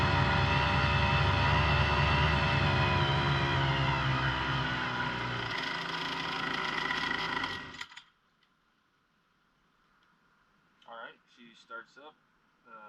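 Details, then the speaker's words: Brand-new Hangkai 3.5 HP two-stroke outboard on 30:1 fuel-oil mix, in neutral with no throttle: crisp, regular buzzing beat at about four pulses a second, running evenly then shutting off cleanly; running well. "seems to be running pretty good uh so it looks like basically it's in neutral when you don't have the throttle going at all"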